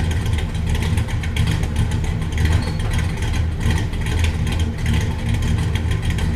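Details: 1967 Buick Special with 415HP small block Chevy 350, started after fuel tank repair (brazed filler, adjusted sending unit): catches, idles smoothly, blips and settles cleanly, no misses or knocks; fuel pressure good, no leaks. Normal start and rev.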